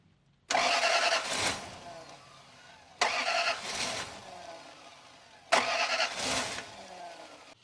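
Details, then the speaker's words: Toyota Land Cruiser that died while driving (mechanic claimed no compression), being revived roadside: starter cranks in three ~2-second bursts but engine never catches, because the throttle body was left unplugged after reconnecting the air intake and mass air flow sensor. "I'm a dumb dumb and I did not plug the throttle body in. That might help."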